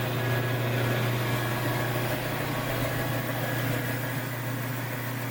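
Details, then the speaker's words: Biro 3334 commercial meat and bone band saw, no load: steady, even motor hum with smooth blade whir and no knocks, rubbing or rattles; runs cleanly, normal running. "we'll go ahead and turn this on"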